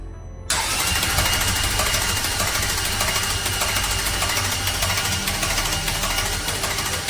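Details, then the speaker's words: Ferrari F430, ex-track rental, engine and gearbox just rebuilt, first crank with spark plugs removed to build oil pressure: a busy, uneven metallic clatter while cranking, with no oil pressure; bearings suspected of knocking; clattering on cranking. "Ça a un son de cliquetis. Il y a du pétrole. Le bruit du moteur ne sonnait vraiment pas bien."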